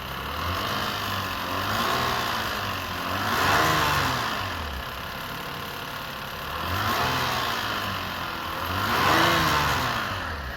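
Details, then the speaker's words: 2006 Lexus IS250 after primary timing chain tensioner replacement, battery was disconnected: light metallic rattle over the engine through two throttle blips, settling at idle; seems to come from the back of the engine, possibly an exhaust leak, source unconfirmed. "I think I am still hearing the rattling."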